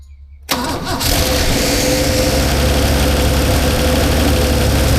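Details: 1977 HX Holden with 202 engine, previously idled high only on choke; distributor loosened and rotated by ear without timing light: cranks, catches, settles into fast, slightly uneven lumpy idle, then stops; seemed slightly better, timing possibly off.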